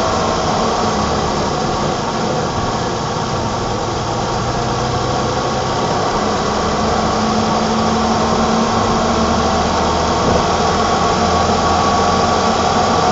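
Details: 1987 BMW E28 520i, M20 2.0-litre inline-six (129 PS), nearly 400,000 km, now running excellently; recorded on a phone with good low-frequency microphone; smooth, even idle with steady hum, no misses, knocks or ticks; normal idle.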